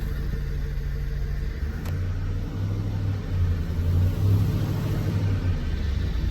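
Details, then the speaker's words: 2004 Chevy Silverado 6.0L gas V8 with 4L80E transmission: bad flex plate gives an intermittent knock at idle that mostly goes away when throttled, leaving a deep V8 rumble swelling without a distinct knock. "so it's kind of intermittent like that and then when you throttle it"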